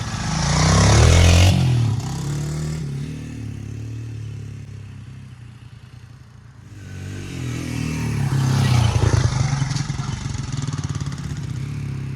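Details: 1977 Honda XL75 vintage dirt bike revived after marketplace purchase, with new fuel shut-off (carb bowl still dribbles fuel when sitting): small single fires and revs twice, crisp even popping rising and falling cleanly with throttle; runs strong and healthy.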